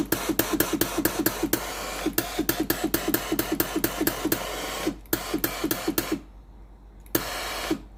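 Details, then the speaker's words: Philips GC9682 steam iron after a new water pump was fitted (pump and solenoid valve both faulty, steam wouldn't come out): rapid regular pump clicking, pausing and resuming with steam hiss; the pump now delivers normally. "ตอนนี้เครื่องสามารถใช้งานได้ตามปกติแล้วนะครับ"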